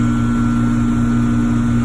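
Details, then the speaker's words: Trane electric heat pump package unit in heat mode, 45°F outside, about 15°F split, 31°F condenser coil: steady low hum and even airflow, no knocks or rattles. Blower fan capacitor reads 15 µF; running normally. "far everything's looking good to me"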